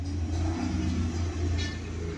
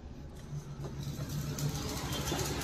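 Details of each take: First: Maruti Suzuki Alto three-cylinder petrol after the misfire repair (one of three cylinders was dead, P0301, ignition coil; blinking check light): revs smoothly with an even low rumble, only slight vibration. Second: Maruti Suzuki Alto 800 idling unevenly with a stumbling beat, check engine light blinking, pickup dropping; cylinder 1 misfire (P0301) from a failing ignition coil.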